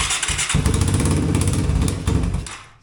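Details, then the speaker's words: Yamaha 225DX three-wheeler on jump-pack power, after its factory carburetor was repaired and the float adjusted. It catches and runs roughly for about two seconds, then slows and dies; it won't stay running. "oh I think we lost our jump pack it's not wanting to stay"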